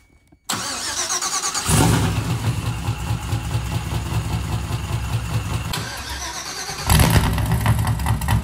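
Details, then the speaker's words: Mazda FD RX-7 project on FuelTech FT550 ECU, first start in about five years: engine cranks, fires and settles into a slow, lumpy but even idle; idle speed sounds very low. "Yeah, it sounded like it was idling really low. Yeah. Even though we were 500."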